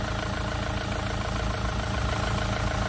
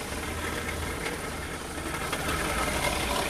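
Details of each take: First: Renault Clio 3 diesel, 1.5 dCi 85 hp, 300,000 km: steady, even idle with a smooth low rumble and no knocks or rattles after refitting the alternator, which was causing the noise; noise now gone, engine healthy. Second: Renault Clio 3 idling with accessory belt removed: gritty rattling whir traced to a failed alternator with bearing play, not the high-pressure pump first suspected.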